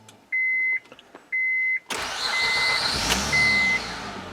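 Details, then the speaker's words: Honda Pilot after replacing a failed fuel injector with an OEM part: two dash chimes, starter catches in about a second, then settles into a smooth, steady idle; repair successful. "nice and smooth I'm so happy about that"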